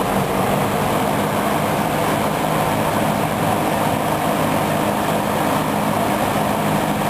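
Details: Dayton 4C418 20-inch three-speed box fan, a rebadged Lakewood P23 with Chicago-made motor, on high: strong, even rush of air at constant pitch, no ticking, wobble or rattle; normal smooth operation.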